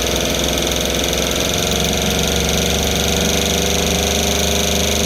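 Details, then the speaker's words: Rebuilt 1960 Evinrude Fisherman 5.5 hp two-stroke outboard in a test tank, after first cold start (fired in 3 pulls) on choke: even quick buzz with a steady firing beat, no misses or knocks; healthy motor warming up. "She fired off in 3 pulls. Let it warm up a little bit, and I'll see if I can dial the idle in a little better."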